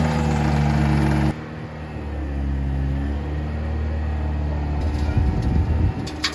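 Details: 1960s Ford F-750 dump truck, revived after not running, idling while the dump bed hydraulics work. Deep, low V8 rumble holds steady and dips slightly as the hydraulics load it; idles smoothly without misfires.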